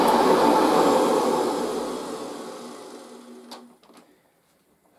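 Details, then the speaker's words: Machine, first run after all this time on its highest position off the carpet, gives a strong even motor whir that spins down smoothly when switched off, no grinding; motor sounds healthy, headlight still works. "sounds pretty good doesn't it and of course the headlight still works"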